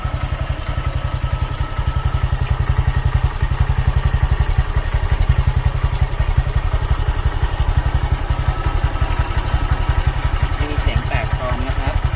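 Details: 2018 Honda MSX, 9,856 km, started with engine still cold and left idling without throttle: single-cylinder thumping at a steady, even beat with no misses or surging; normal, smooth, healthy idle.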